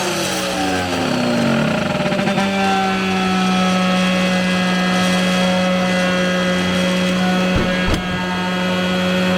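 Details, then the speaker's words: New router on its highest speed setting after cutting thick wood: motor spins up to a steady hum with a sharp ringing tone, a noise it did not make at first; owner suspects the bits; abnormal noise from a loose collet. "Uh-oh. She wasn't making noise like this at first."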